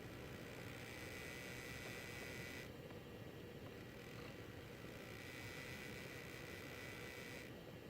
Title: Weird noise from Zotac 1080 AMP Edition